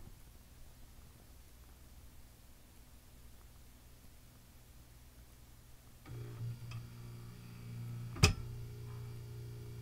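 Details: Form 1 3D printer, owned about a week. As the tray tilts and the build platform lowers, a motor hum is cut by one sharp click followed by a sudden drop of the platform. Something catching; cause unclear.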